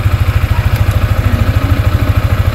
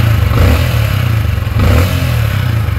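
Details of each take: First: Sniper 155 in neutral, idling while fitting a manual cam chain tensioner with bolt loosened: steady single-cylinder idle with fast, even clatter on the firing beat; loose timing chain, quietened by tightening the bolt clockwise. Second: Sniper 155 in neutral after hand-tightening the manual cam chain tensioner bolt: engine revs up and settles with smooth drone, no chain slap or rattle; timing chain quiet and properly tensioned.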